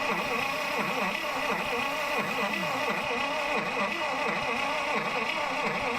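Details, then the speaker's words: Long-stored 1953 Buick Super nailhead V8, started by touching the starter wire to the battery: starter whirs with slow uneven rise and fall, engine never catches; owner suspects no spark, nothing at the points, coil possibly bad. "I don't think I'm getting spark. They pull the cap off and look in the distributor and see if there's any spark at the points."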